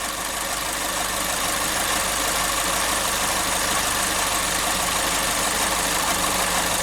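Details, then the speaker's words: 2012 Chevrolet Spin idling, owner reported a loose, tinny knock: light, fairly regular tick about twice a second that stops when the canister purge solenoid is unplugged. Canister purge solenoid tapping. "Mas o barulho tá vindo daqui, ó. Da eletroválvula de canister. Eu desligo ela para o barulho."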